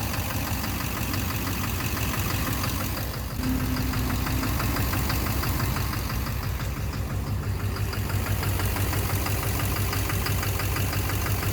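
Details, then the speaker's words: 2009 Chevrolet Duramax LMM dually diesel V8 idling with a steady knock about twice a second during an injector-disable test. Knock seems to come from the back or center of the engine; owner suspects an injector or a cracked flexplate, unconfirmed. "Yeah, you can hear a knocking sound, but you can't. It doesn't really give you an defini"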